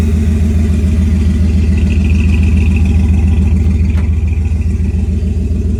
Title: Does anyone know why it’s making this noise when I go into neutral? also sometimes when I’m driving